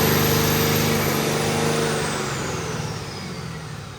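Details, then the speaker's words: Stock 2020 Cummins automatic on a chassis dyno with the air filter removed and the airbox lid flipped upward: loud turbo whistle sliding down in pitch as the diesel winds down from the pull, rough and noisy; the flipped lid likely disrupted mass airflow sensor readings. "It was unhappy taking the air filter out. It was very, very angry."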